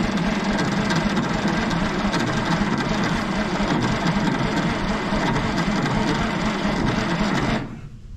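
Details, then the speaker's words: 1960s Galion road grader, start attempt after about a year and a half unused, starter bypassed via the solenoid: slow, labored cranking about three compression beats a second, never fires; owner suspects the starter needs rebuilding, then a spark issue. "never did crank real fast before come on christine"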